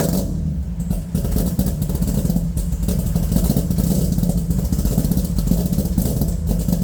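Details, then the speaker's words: Freshly built Corvette V8 with custom blower cam, first start after rebuild: deep, lumpy rumble with steady cam lope, no knocking or ticking; runs healthy, some initial smoke hoped to be burn-off. "you don't know how relieved i am then it actually started it sounds good"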